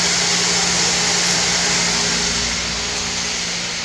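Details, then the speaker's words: Replacement 5 hp waterfall pump motor running after install: steady even hum with a constant rushing hiss, no galloping or surging; drawing 11 A of a 13 A rating instead of the earlier 60 A, voltage holding, running normally. "system is rated for a maximum of 13 amps. We're running at 11. Our voltage is no longer dropping below our threshold. Our fountain is working."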